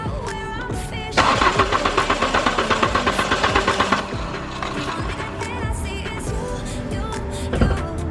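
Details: Mk3 VW Golf after new fuel pump, gas now reaching the line; starter churns steadily at about two to three beats a second but engine never catches, crank with no start, cause not confirmed.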